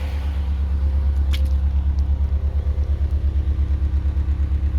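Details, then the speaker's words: Subaru EJ20 swapped into a front-wheel-drive car, now fuel-injected and dyno-tuned to about 60 kW at the wheels: deep, even engine note with a steady throb while driving, no knocks, misses or rattles; the engine runs smoothly. "all sounds good it's fun to drive the engine is so smooth I could probably balance a coin on [Applause] it"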